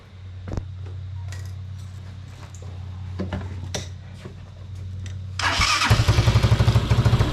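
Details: Unidentified, probably Chinese, four-wheeler: a few quiet clicks, a short crank, then it catches and settles into a steady, even putter. Starts and runs fine.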